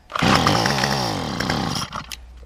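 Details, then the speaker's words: Yard Machine string trimmer, about three years old, running rough this spring, after a new spark plug: a pull brings a brief buzzing rev that dies within two seconds; carburetor suspected and then replaced. "Still not running. So, I would say at this point since we change the swipe pad and it doesn't want to run, I would say that it's carburetor."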